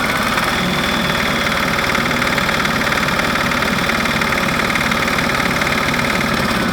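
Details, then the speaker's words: Early Westwood diesel ride-on mower, about 1985, repaired 42" deck with toothed-belt counter-rotating blades (seized bearing, shaft welded and machined, deck welded, rear adjusted): turbine-like whirring over an even diesel beat, no knocks or grinding. Normal toothed belt deck whine. "you know sounds like a turbine but uh yeah I'm happy so far"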